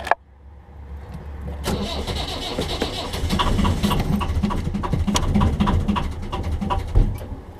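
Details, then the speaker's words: 1.5 BMC diesel in a narrowboat, glow plugs primed at least 60 seconds, in a glow plug replacement episode: starter cranks about four times a second, a few uneven firing beats but no idle; hard starting, cause suspected, unconfirmed. "can hear she's catching but not quite starting. I'll try again."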